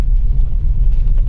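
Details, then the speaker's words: Maruti Wagon R BS6 test drive after replacing the cut front left arm bush: steady low road rumble with no knocks or clunks; the left-side noise previously heard on rough roads is gone. "जो आवाज थी बिल्कुल भी नहीं आ रही है पहले काफी आवाज आ रही थी लेफ्ट साइड में जैसे ही रफ रोड प जा रहे थे"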